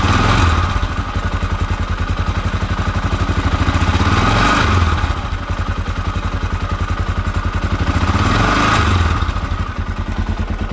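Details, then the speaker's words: 1979 Honda XR500 single, freshly fully rebuilt, idling after top-end noise was addressed: loping thump three to four beats a second, no top-end tick, mechanically noisy but healthy; normal idle. "I don't hear any more ticking. Still isn't the quietest engine."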